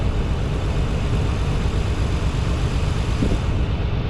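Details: Nissan 300ZX after new spark plug install with coil pack slightly loose: deep uneven rumble, irregular pulse, still a stumble; runs rough, suspected fuel injectors or vacuum leak.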